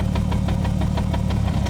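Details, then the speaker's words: Manual-swapped 1998 BMW 328i (E36) idling very low after its first test drive, a lumpy, uneven pulse about six or seven times a second; rough low idle, cause still unknown. "yeah I don't know it's being really weird it's idling very low"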